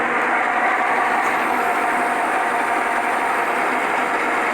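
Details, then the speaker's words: 1940s horizontal milling machine driven by a treadmill motor replacing the original three-phase motor, spindle engaged in the number one speed slot (about 36 rpm stated): steady mid-pitched whirr from drive and spindle, no grinding, clunks or squeal; running normally. "okay now I got this in the number one slot let's see what it does"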